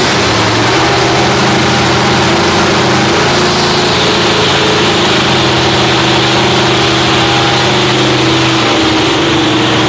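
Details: Freshly rebuilt Holden 308 V8 with roller cam, bolted to a part chassis without body, first start after teenager's rebuild: steady, even burble at idle, smooth firing, no knocks or misses; running normally.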